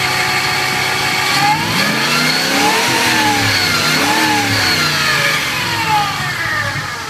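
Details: 2000 Ford F-150 5.4L V8: a clear whine over the engine that rises and falls in pitch with each rev, following engine speed; source unknown.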